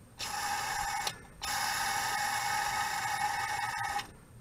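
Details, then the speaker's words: 1978 Toyota Pickup/Hilux with the transmission removed for a clutch replacement: the old clutch release bearing, spun by hand, gives a harsh buzzing metallic ring, a worn bearing. "Wow do you hear that they throw a bearing is for crap okay yeah well good I'll go through the diagnosis on this later"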